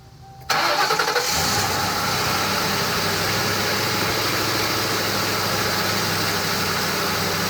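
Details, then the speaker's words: Crown Victoria Police Interceptor V8 starting: brief crank, clean catch and smooth steady idle with no knock, a healthy normal engine for comparison against engine knock. "so here's an example of what a healthy normal engine sounds like upon starting it"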